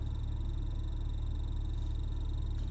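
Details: BMW E46 AC system making a low running rumble with a repeating croak, like a frog or a duck; source not yet known.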